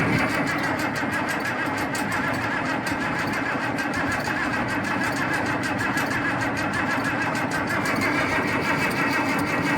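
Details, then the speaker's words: International 1468 tractor running without its V8: steady, fast, even diesel cranking that never catches after hand-pumping fuel and a shot of starting fluid; cranks but won't start, cause suspected, not confirmed. "Okay. Not cranking the greatest."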